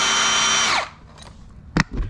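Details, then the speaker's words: DeWalt 54V brushless hammer drill before hammer rebuild: smooth high motor whine with no hammering beneath, even in hammer-drill mode, then stops; no hammer action. "Before it's like this. Before, no hammer. Even we try to turn to hammer and drill,"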